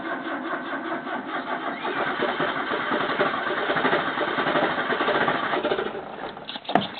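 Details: 1985 Toyota Corolla with carburettor problems, choke possibly not on: uneven, labouring churn rising and sagging without settling into a steady idle, struggling to start before finally running; hard starting.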